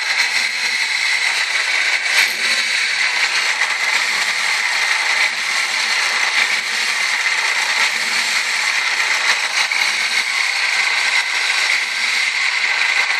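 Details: 1998 Ford Escort ZX2: steady high-pitched whine over a hissy engine run, holding the same pitch throughout, source not pinned down; owner trying to diagnose the odd high-pitched engine tone.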